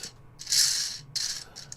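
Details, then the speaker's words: 3D-printed antenna rotator axle bearing, proof of concept, spun by hand: dry, uneven bursts of light rattling with gaps as the rolling parts chatter; lots of play remains, including up-and-down play, giving a bearing rattle. "So, uh there's lots of play in it, which I'm not that fussed about. Uh there's up and down play."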